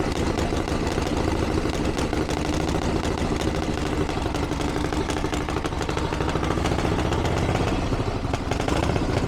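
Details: 1982 Harley-Davidson Ironhead Sportster after two years of tinkering, started on choke with timing reset; loud, steady loping V-twin idle with even potato-potato beat, no knocks or misses. Healthy, though owner feels it's slightly lean under acceleration and needs further tuning.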